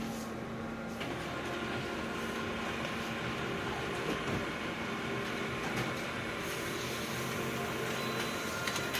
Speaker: and this scan is really squeaking like so let's see how we go